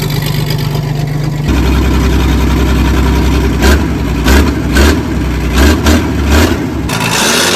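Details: Loading shovel diesel abandoned for 18 years, started on ether; it runs rough with uneven chuffing and a lumpy beat because a valve is held slightly open and not seating, so one cylinder is misfiring, with a coolant clamp also leaking.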